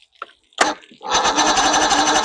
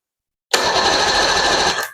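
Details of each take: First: 1993 Evinrude 115hp outboard, unknown history, after primer bulb squeezes: repeated cranking bursts with only brief firing that dies each time; won't keep running, runs only on the fuel primer solenoid; owner suspects dirty carburetors. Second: 1993 Evinrude 115hp outboard, unknown history, reportedly last ran about 2 years ago, with cleaned starter installed on a low battery being charged: brief, strong, even starter spin, steady high whir, no grinding or dragging; cranks healthy.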